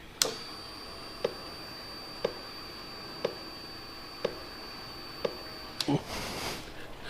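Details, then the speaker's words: 2009–2014 Yamaha R1, diagnostic mode items 40–43 secondary (shower) injectors in the intake, engine off: sharp single ticks once per second, evenly spaced; injector actuating, working normally. "and you can go through each one of the injectors and make sure that they're actuating if they are they work if they're not replace your injector"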